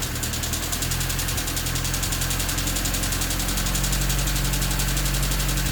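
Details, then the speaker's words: D16Y8 engine with an idle issue and a new header: fast, light chatter of about four ticks a second over the idle, quickening with throttle. Stethoscope places it in the head at cylinders 1 and 2; owner suspects valves, not rod knock. "It still sounds a lot like valves to me, and with the stethoscope, the sound is primarily coming from the head around cylinders 1 and 2, which gets me thinking it's probably the valves and not a rod knock."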